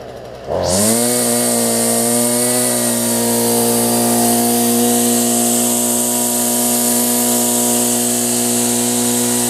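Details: Stihl FS45 two-stroke trimmer after carb kit replacement and restring, below 40°F: catches quickly into a steady, even high-pitched buzz with no stumbling or surging, running properly.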